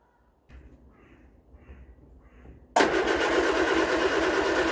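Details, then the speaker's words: Vauxhall Viva HC with rebuilt carburetor, started on carb cleaner: starter cranks in slow rhythmic bursts, then engine catches and runs; with fuel in the carb it won't start. "it starts with the car cleaner down our neck kicks over lovely she's fire and lovely but when you put a bit of fuel in the cob she won't start"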